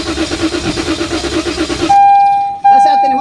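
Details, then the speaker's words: 2023 Toyota Veloz automatic with the check-engine light on: the starter cranks with an even chugging rhythm but the engine never fires. Crank no start. "so yun ayaw niya talagang tumuloy"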